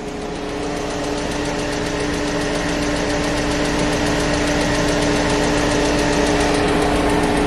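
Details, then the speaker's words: Mini Cooper at idle after a drive, oil reportedly unchanged for years, engine-flush additive added: fast steady tapping about three per second over a smooth idle; owner hopes valvetrain noise curable by oil change, not confirmed. "if this thing really hasn't had an oil change in Forever that's probably the reason why it's making so much noise I'm I'm hoping that that's valve train noise"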